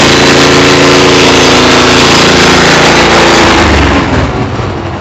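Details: Cub Cadet tiller with a Honda GC160 engine, after cleaning a carburetor an animal had crawled into, warming up before an oil change: loud, even single-cylinder drone at a steady four beats a second, easing off at the end. Runs smoothly.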